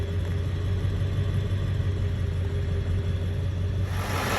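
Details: 7.3 Powerstroke diesel fully warmed up after injector shims and a starter were installed to cure hard cold starts and white smoke: steady, even rumble with a smooth low beat, no knocks or misses, a warm engine idling cleanly.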